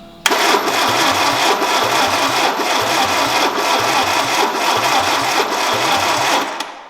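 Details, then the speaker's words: Peugeot 309 GTI not started for 22 years: steady starter cranking, roughly three and a half turns per second, that never catches, because the tachymetric relay, thought to control fuel pump and ignition coil, was missing. Cranks but no start. "tachymetric relay is missing out of this this controls the fueling system i think the fuel pump the ignition coil everything so that was missing and we've started to start we tried to start the car with what not in it"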